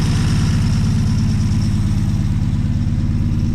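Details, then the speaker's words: 1963 Plymouth Belvedere, original engine with about 40,000 miles, sat since 1978 and now revived: steady, even low rumble with regular beat and no knocks or misses; normal healthy idle. "So I can't believe it. 40,000 kilometers, 40,000 miles, and she's purring."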